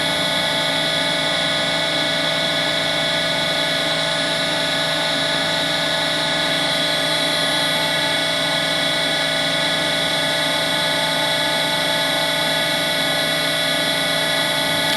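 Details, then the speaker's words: Harvey lathe spindle after new bearings were fitted, running at 2000 rpm; a steady, smooth high whir with no grinding; sound-meter readings lower than before the bearing change; normal spindle running. "Now it's again less than it was before on a slower speed. So that is improvement in terms of the sound loudness, let's say, but we'll see how this works out on the video."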